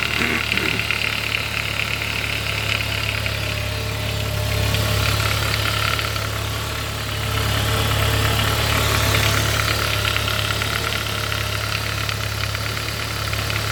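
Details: Saab 9-5 B235 engine at steady idle with a light metallic rattle, about three beats a second, over the engine hum; timing chain suspected, source unconfirmed.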